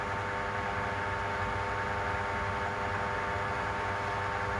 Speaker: you'll hear a little ticking obviously as it hits and misses and eventually the bearing should just run around nice and smoothly which it's doing now